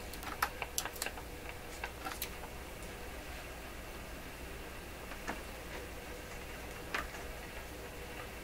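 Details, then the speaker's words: Rogers 11RA651 shortwave radio during paper/wax capacitor replacement, probed with a Conar 230 signal tracer: sharp irregular pops and crackles over steady hiss, heard near the speaker lead; a paper capacitor is suspected, not yet confirmed. "Take that out of there. Now it wants to really crackle. Keep crackling."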